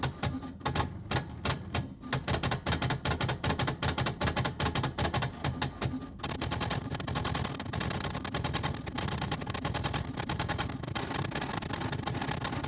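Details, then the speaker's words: HP 7470A pen plotter plotting for the first time, mic placed near the plotter, pens left open overnight: quick bursts of dry ticking and whirring, then denser steady chatter as the pen moves. Normal plotter operation. "All right, I'm about to hit run here, and I'm going to put my mic near the plotter so you can also hear the wonderful sounds of plotting."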